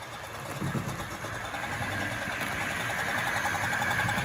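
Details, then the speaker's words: Tri-ang Hornby R.259NS Britannia model locomotive with an improved 5-pole motor, running at express speed on a layout: even motor whirr with a soft, steady chuff from the tender about three to four times a second; healthy running. "I honestly think that's completely different. You can really hear the chuffing from that tender."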